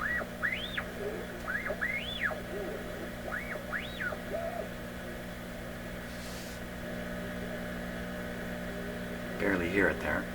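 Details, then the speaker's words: PYE 39HC shortwave receiver on a shortwave band with its original, weak-testing 6K8 mixer tube and antenna connected: steady mains-type hum with heterodyne whistles swooping in pitch over a buried station. Source unknown. "here it's just a weird weird wave shape but I hear something that sounds like short wave behind the hump sounds like a fairly sharp if fill it with the antenna here get that guy back he still does that hetro hrod"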